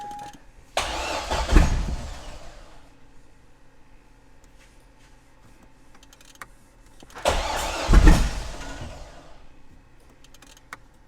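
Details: C6 Corvette Z06 V8 with Texas Speed heads and cam, after an engine pull: two long cranking bursts that catch briefly and die without running on.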